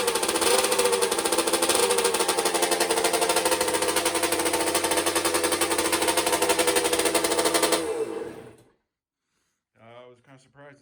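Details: 1982 Suzuki RM60 two-stroke dirt bike after carb cleaning and fresh fuel: small ringing two-stroke at a fast, slightly uneven rate, dying out after eight seconds; running lean, only keeps running on choke.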